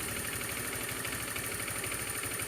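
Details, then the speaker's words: Honda Beat scooter idling after the loose spark plug was tightened, curing a noise like a worn piston or timing chain: even steady idle pulse under hissy background, no knocking or misfire; normal. "Suaranya sudah halus, normal, standar, seperti sedia kala pada waktu itu, pada waktu normalnya."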